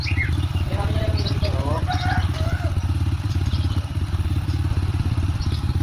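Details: Honda Supra X 125 after repair of rough-sounding engine, cam chain and tensioner reassembled: steady, even low thump at idle with no rough clatter; smooth normal idle compared to before repair.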